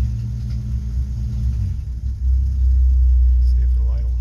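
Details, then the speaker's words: Old Nash flathead six, 6-volt positive earth, just started after long storage with no coolant: low rumble swelling when revved, slightly lumpy uneven beat; smoky, blew black soot but running all right. "that's awesome makes me happy kind of blew some black soot all over but he's running all right"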